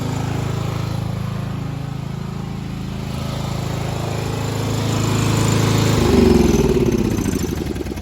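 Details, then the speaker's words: 1995 Craftsman LT4000 lawn tractor, single-cylinder engine, after removing the engine to replace the sump gasket: even putter near four beats a second, swelling slightly and settling, no misses or knocks. Idling nice, could be lowered slightly; only the breather tube still leaks. Normal idle. "But yeah, that's cool. I didn't know the headlights actually worked with the no battery. That's pretty neat. What else? So yeah, all right, let's but I mean, yeah, it's idling nice. I mean, I could lower it a little bit, but that's about good."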